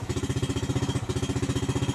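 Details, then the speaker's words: Yamaha Jupiter Z with a week-long problem of sputtering, delayed starter response, foul-smelling exhaust and heavy fuel use, before repair: fast choppy putter with uneven pulses at steady part throttle and a brief stumble; rough running from a rich mixture. "Nah kalau kasih sedikit kayak gini nah itu dia merebet helm operasikan suara anak kota ya suaranya itu enggak enak banget dan bau banget ini aksi pembakaran"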